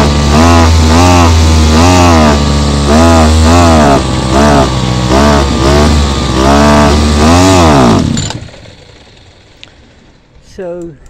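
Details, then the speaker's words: Mitox CG330 petrol two-stroke strimmer after a thorough carburetor clean: revs swell and sag about twice a second, hunting without settling, then cut out, won't hold a tune despite repeated adjustment; owner concludes it needs a new carburetor. "As you can hear, I keep on altering it, keep on tuning it up as well, but it's not working."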